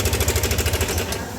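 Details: Yamaha All New NMAX 155: hard, fast sewing-machine clatter of about ten knocks a second at idle, traced to the cam chain tensioner, whose broken spring lets the cam chain slap; checked by removing the air filter box and tensioner.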